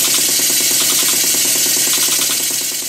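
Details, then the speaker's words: Mary model beam engine after slide valve and eccentric timing set and big-end cotter pin tapped tight: quick, even valve-gear clatter about three beats a second, steady and unbroken; running well at speed, cutters stayed in. "The good news is none of the cutters fell out and everything's running rather well."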